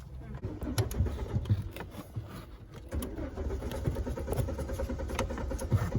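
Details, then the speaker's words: Car cranks repeatedly in uneven low bursts with the starter churning, but the engine never catches and runs; crank-no-start. "I am getting late and this car is not getting started. Why it is cranking?"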